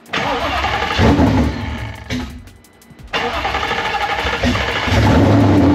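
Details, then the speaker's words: Supercharged Gen 3 swapped 1979 Fox body pace car with 10R80, still untuned: catches, dips briefly, then strong even roar with clean revs; sounds healthy, no crazy noises, pops off. "more now sounds healthy as yeah I think that's about all yeah definitely needs a tune it pops off yeah engine sounds great no crazy noises"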